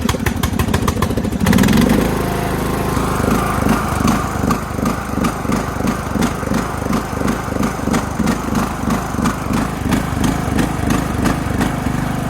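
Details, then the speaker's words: Craftsman LT2000 riding mower, single-cylinder engine smoothed out after carburetor work, driving on a battery; steady even chug about three beats a second, smooth. Normal running; screeching underneath suspected from a failing pulley. "Got the engine smoothed out. Here we go. How about that?"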